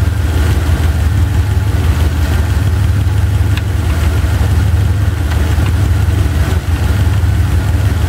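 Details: Chevy 350 V8 idling with driver-side valve cover off during running valve lash adjustment: a few sharp irregular clacks over a steady low idle as a rocker is backed off, tightened a quarter to half turn until quiet.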